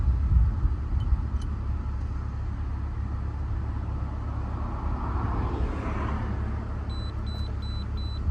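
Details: 2001 BMW E46 2.5 automatic that had P0171/P0174 lean and misfire codes, after repair with no codes stored: quiet, low, even idle with no stumble, hiss or surging; short-term fuel trims near zero, healthy idle.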